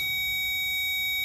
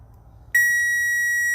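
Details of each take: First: Power probe on a relay socket pin with the relay removed, on a service-truck work-light circuit: steady high-pitched continuous tone meaning power is present at that pin. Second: Relay test in a fuse panel using a power probe: a clean, steady high beep that means power is present at the pin, reading 12.2 volts.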